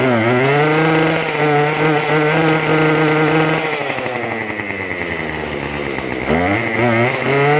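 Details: Craftsman WS2400 two-stroke pole saw after refilling with freshly mixed fuel, before carb adjustment: revs high, then pitch sags a couple of seconds before recovering; hesitation and bog on throttle, milder than before.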